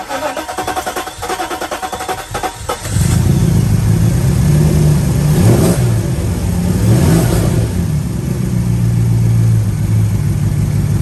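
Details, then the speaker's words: 1995 Mercedes S500 W140 petrol V8 after pulling and cleaning distributor caps and rotors to fix misfire, rough running and stalling: long crank, then even idle with clean revs, running on all cylinders, good throttle response; smooth idle. "well long start but sounds like it's hitting on all cylinders right now at least it sounds like it engine seems to be running real smooth"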